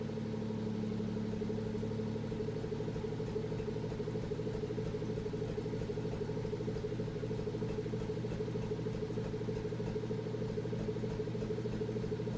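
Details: BMW M240i B58 after catless VRSF downpipe install: steady idle with a faint uneven lope and slight shake in the exhaust note; rough idle, cause not yet pinned down.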